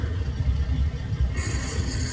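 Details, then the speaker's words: Semi-truck diesel idling low. A harsh, raspy gear grind cuts in when shifting into gear because the clutch brake is not pushed all the way to the floor. "it's actually grinding now because I do not have the clutch brake pushed all the way in."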